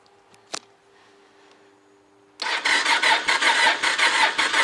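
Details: Honda motorcycle after about 2.5 months parked outdoors, battery at 10.9 V, cold, choke pulled, clutch held: steady rhythmic cranking at roughly two pulses a second that never catches; crank, no start.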